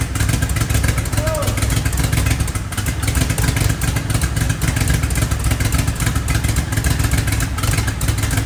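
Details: Twin-turbo DeLorean parked about 40 years, started by bumping it and pushing down the metering plate. Dense low rumble holding steady for several seconds with rattly clatter on top; engine has started and keeps running.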